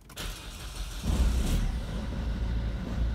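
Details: Peugeot 207/308 after alternator replacement: brief crank, then the engine catches and settles into a steady, even idle; battery rises from 11.89 V to about 14 V, so the new alternator is charging; normal start and idle.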